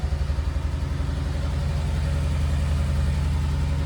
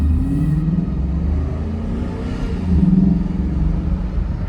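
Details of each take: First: Coyote-swapped 2014 Ford Expedition with a swapped-in F150 electric rack, freshly started at idle before its first drive: lopey idle with uneven pulses, about three or four a second, and a stumbling beat; the misfires are still unfixed from earlier work. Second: 2014 Ford Expedition, Coyote-swapped with an electric rack and misfires fixed, on its first drive around a lot: a deep, steady roar swells under throttle and dips through shifts, with intake noise loud over the road. Sounds healthy.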